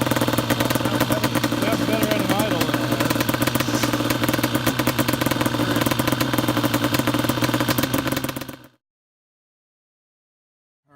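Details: Banshee twin two-stroke ATV idles with an uneven, stumbling beat; misfire from the carburetor needle clip left in the wrong position after fitting smaller main jets for winter, after plug caps and coil ruled out, compression near 150 psi.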